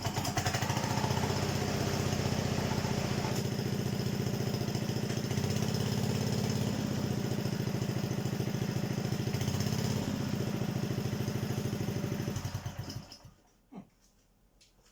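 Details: Honda HRD536 single-cylinder petrol lawnmower after replacing the drive clutch plate, spark plug refitted; steady even chug with no misses or stumbles, then shuts off, running normally.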